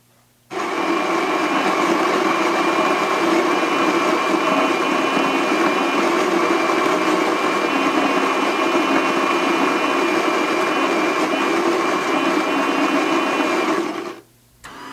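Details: Espressione Supremma super-automatic coffee center brewing a single shot: a steady buzzing pump hum holds evenly for about thirteen seconds, then cuts off cleanly. Normal brewing pump operation.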